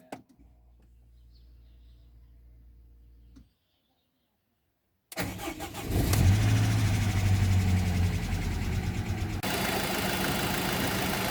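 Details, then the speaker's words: Rover 75 K-series engine first start after timing cam belt replacement, after sitting a long time: cranks and catches with slight tappet ticking until oil circulates, then a steady, even, healthy idle. "so that is the engine running uh starting off a little bit tapity but that's because it sat there for quite a time once the oil moved round as you can hear it's now sounding uh as it should do"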